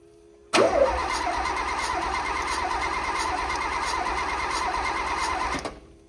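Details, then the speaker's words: Renault Alpine GTA Turbo, mid-engine, revived after years abandoned in a storage locker: steady rhythmic cranking for about five seconds that never catches; cranks but no start, compression test reads only about 35 psi. "I kept getting a reading of roughly 35 psi, which means there's no way this engine is going to be able to run on that low of compression."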